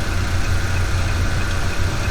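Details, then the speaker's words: Old Jeep petrol engine idling, worn belt tensioner pulley heard through a mechanic's stethoscope: steady regular humming noise typical of failed tensioner bearing; injectors, power steering pump, compressor and idler pulley checked normal; tensioner to be replaced. "最后再来听一下这个杖颈轮，很明显这个杖颈轮里面有一个嗡的异响，这个就特别像是杖颈轮轴承损坏的异响。"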